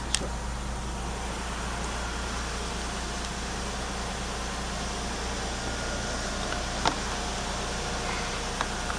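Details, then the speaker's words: 2000 Lexus RX300 after ignition coil replacement for P0300, P0302, P0304 misfire codes: quiet, steady idle with a faint hum that sits too low; low idle from idle air control trouble. "something's going out with our idle layer control now it doesn't want to it doesn't want to work"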